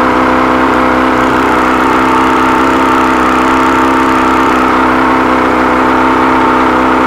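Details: 100 hp outboard, carbs rebuilt elsewhere, never ran right since; compression and spark good on all cylinders: fast uneven wavering buzz, never settles to idle; found stripped carb screw threads, missing lock washer, old gaskets.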